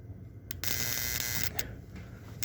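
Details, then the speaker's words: Bench-tested model-train motor-on detector relay on a rectified supply with no filter capacitor: harsh rattling buzz in bursts of about a second, relay chatter that stops when a capacitor is added. "I'm setting this up to test the relay noise hear it right now I don't have anything in circuit we got a lot of relay noise"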